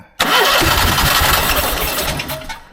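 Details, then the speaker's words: 15-year-old Onan 5500 RV generator, sat 6+ years with bad gas, showing code 37: starter spins briskly about two seconds, never catches and winds down; cranks but won't start, cause unknown. "but that wouldn't tell me why it's not running"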